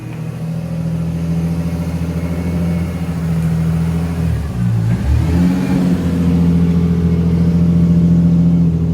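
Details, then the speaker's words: Lexus SC300 after the broken exhaust was refitted to sit properly: a strong, even note that dips briefly then pulls back cleanly under revs, with no rattles or blowing; the exhaust sounds healthy. "We didn't do anything crazy to the exhaust, but you got it to sit back properly. She sounds pretty good. Sounds actually really good. I'm surprised."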